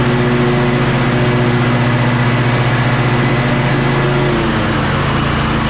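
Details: Kohler KT745 (7000 series) twin on Bad Boy zero-turn mower, after about 20 minutes running: uneven chugging, pitch sagging as it loses all power; bogging, fuel good, ignition coils later found faulty.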